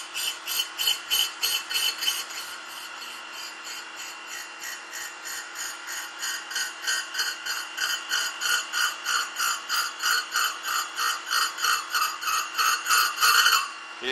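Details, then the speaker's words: Grinding a pin using a Radiac grinding wheel: high gritty grinding pulsing about three times a second with a ringing edge; workpiece chatter. "you can hear it you I don't know if you can but I can hear now where it's running out a little bit on the front of chat and heavier on the spot"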